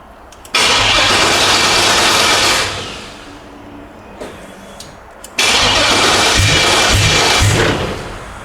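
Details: LS-swapped El Camino, new spark plugs, first start after months of work: catches quickly, revs up, settles, then fires again cleanly with no misses or knocking; healthy start.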